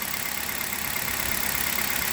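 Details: Hyundai Solaris at about 29,313 km on Liqui Moly 5W30 molybdenum oil, new coil wiring harness: smooth, even idle with only a light, fast valvetrain tick and no knock; healthy.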